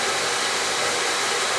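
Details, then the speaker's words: Recently installed oil boiler with overhead oil line, controls jumped out so burner runs continuously while air is bled from the line: steady even rushing roar with no dropouts; normal running during air bleed. "Oh, you see how I jumped it out? It's not shutting off. It's getting all the air out."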